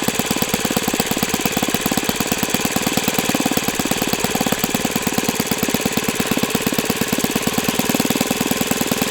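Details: O.S. FS-91S II four-stroke glow engine on test stand, first run: fast, crisp, even popping held at a constant pitch with no misses or sag. Owner says it feels freer once at operating temperature; normal running.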